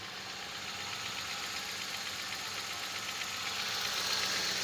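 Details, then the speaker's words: Engine idling after a new starter and cables were fitted to fix a no-start, run to charge the battery and check for remaining faults: steady, even idle under a hissy fan-like rush, no misfire or knocking. "So paandarin lang muna natin para maka-charge ng yung battery at ma verify natin kung may mga problema pa."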